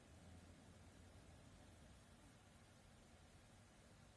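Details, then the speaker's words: 1500 rpm PC case fan slowed with a 56-ohm resistor; almost silent, just a very faint even low hum from the slowly turning fan. Quiet at reduced speed. "56 없자 되면 이제 거의 안들립니다"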